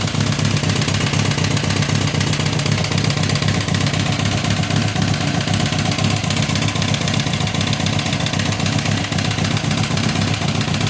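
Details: 2006 Kawasaki ZX10, 45k miles, no compression in cylinder 1, smashed spark plug, no smoke or metal in oil: loud heavy mechanical knocking over rough four-cylinder idle; owner suspects rod knock, unconfirmed.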